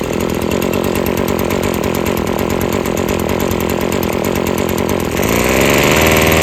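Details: Husqvarna string trimmer at full throttle after freeing a sticking trigger and carburetor adjustment (it kept cutting off): high, steady two-stroke scream climbing higher near the end with line whistling; normal high rpm running.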